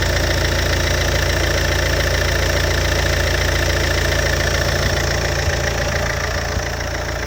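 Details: Alfa Romeo 147 JTD 140 diesel, cold engine: idle with a steady rapid knock, about 214 beats a minute over the rumble; cold engine knocking, cause not yet found.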